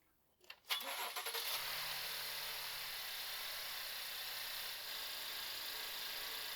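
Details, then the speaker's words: 2018–2024 Buick Enclave 3.6L V6, first start after spark plug change and intake manifold reinstall. A short crank catches cleanly and settles into a quiet, even idle with audible fuel injector ticking; normal, no leaks. "got noisy fuel injectors. We can hear them just uh going crazy down there injecting."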